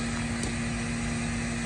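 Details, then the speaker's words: Toro TimeCutter mower that would not move, with only one wheel working: after reconnecting the battery with the key off, the brake mechanism motor drones steadily and keeps running by itself, cause unknown. Park brake actuator running on its own. "that brake mechanism box is going crazy I don't even have to turn the key forward for the brake mechanism to work with the arms it just keeps moving or going on by itself"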